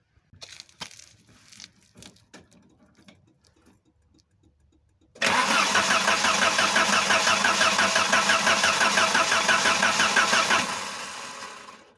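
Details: 1988 Volvo 740/745 GL, 2.3 petrol B230F, stored almost 10 years, while checking for power at the fuel pump: a few clicks, then five seconds of brisk, even cranking without catching. Crank, no start.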